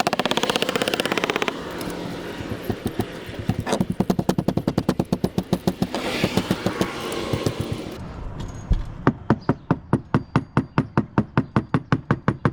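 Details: Halcyon 23 fiberglass sailboat deck tapped with a screwdriver: rapid hard taps, some spots flat and dead instead of sharp; deck not giving underfoot; possible wet core under a screw suspected.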